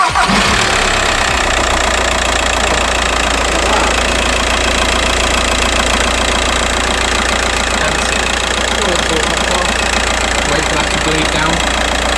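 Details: VW Transporter van on first start after a cambelt service, with tensioner, engine mount/crank pulley work and a fresh auxiliary belt, coolant reservoir filled for bleeding: the engine catches and settles into a steady, even idle with no knocks or rattles, running cleanly.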